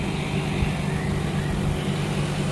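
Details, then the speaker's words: Haier air conditioner outdoor unit whose compressor previously failed to start and tripped on overcurrent, after repair of the outdoor unit: steady low hum with even fan whoosh, no clicking or cutting out; now running and cooling. "外机也启动了啊。"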